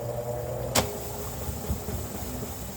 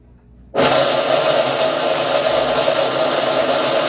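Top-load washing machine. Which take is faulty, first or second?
second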